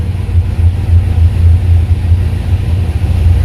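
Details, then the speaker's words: Square-body truck with a Holley Sniper EFI after a Motion Raceworks throttle body install: low, steady rumble with even pulses and no knocks or misses, idle air control under five percent; a healthy, settled idle. "and it is so I really like that that's a nice and low idle air control position there and it's going to move around some but it's going to be in that less than five percent range so that's perfectly fine with meat"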